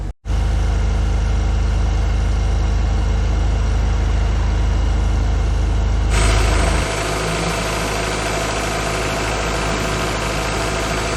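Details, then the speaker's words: Classic carburettor car warming up on manual choke, backed to a quarter choke: smooth, fast, even idle at about 1,400 rpm without shake, settling slightly lower; smooth means the engine is happy, shaky means not enough fuel. Normal warm-up idle. "When it's nice and smooth, it means the engine's happy. If it's getting shaky, not enough fuel. That is now 1,400 RPM."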